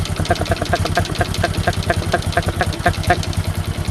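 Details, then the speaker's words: Honda Supra X 125 motorcycle idling, piston rings very worn with oil reaching combustion chamber and smoking: steady quick metallic ticking rattle about four taps a second; piston slap from worn, loose piston and cylinder block, fix is reboring block with new piston. "adalah suara Pon dan blok yang mana antara kedua ponan blok itu telah haus dan terjadi kelonggaran dan mengakibatkan suara timbulnya kasar"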